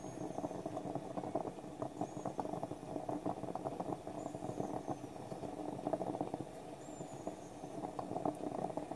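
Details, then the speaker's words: French stovetop espresso pot on the burner: irregular soft gurgling and sputtering bursts that thin out as brewing finishes, ending either in a final hiss or simply stopping depending on the model; normal percolation winding down. "It'll give a final loud hiss when it's done. Or simply stop making the percolating noise. Depends on the model you have."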